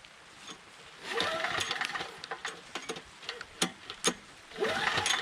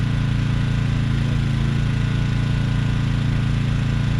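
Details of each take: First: Briggs & Stratton Storm Responder 5500/8250 generator after its defective new carburetor, which dumped fuel, was replaced: two recoil pulls with no firing because the engine switch was left off. Switched on, it fires. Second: Briggs & Stratton Storm Responder 5500/8250 generator after carburetor replacement, powering a camper: loud steady single-cylinder drone holding speed evenly; governor fine, running normally.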